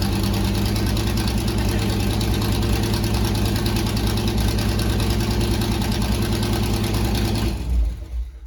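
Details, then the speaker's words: C3 Corvette V8, first start after fitting side-pipe headers (open headers), louder than expected: very loud, raspy, steady fast idle with no dip in speed; engine idling high, cause not confirmed. "All right, not gonna lie, that was a lot louder than I thought it was gonna be. It is open headers, but the car is also idling high still."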